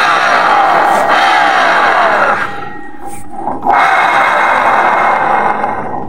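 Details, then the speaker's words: Honda automatic scooter, rear CVT dismantled. A rough gritty grinding as the rear pulley turns under pressure, heard when the scooter is pushed or reversed. The rear pulley bearing is worn and must be replaced. "Ini udah saya Bongkar Jadi kalau cuman roda begini diputar nggak begitu ngerosok namun kalau ini dipasang kita tekan dia akan bunyi Bro ini akan bunyi"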